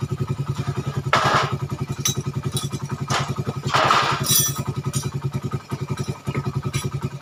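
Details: Suzuki Satria FU 150 cc after correcting the mis-set cam-chain top timing from another workshop, which had caused rough idle, harsh noise, weakness and heavy fuel use. Now crisp, even idle exhaust pulses and two clean throttle blips. It is healthy and responsive.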